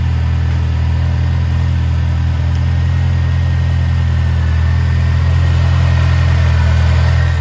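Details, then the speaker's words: 1985.5 Ford Mustang SVO after fixing vacuum leaks from a cross-threaded bolt and missing bolts at the throttle body, with the intercooler refitted and fuel primed: a smooth, even low idle rumble with no stumbles or hissing. "that sounds way better it's running smooth"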